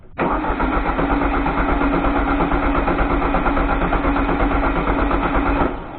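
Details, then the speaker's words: 1973 VW Thing restoration, first start attempt; steady starter churning about three beats a second for five seconds, no firing; cranks but won't start, owner suspects fuel problem, not confirmed. "don't know if we're getting much feel. Do it? Yeah. I think it's a fuel problem, you know?"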